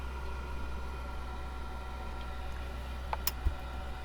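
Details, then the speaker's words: Propex gas blown-air heater in a campervan, after strip-down and repair of a suspected fan fault: fan hums steadily, then quick sharp igniter clicks as the burner lights and delivers warm air, a normal ignition. "and I just heard it click in light. and we have warm air."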